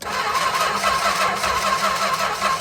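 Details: 1964 Chrysler Newport, sat 2.5 years, powered straight to the ballast resistor with no key, coil and coil wire known good, no spark seen: steady starter whir cranking without ever catching; owner suspects a short in the distributor or flooding.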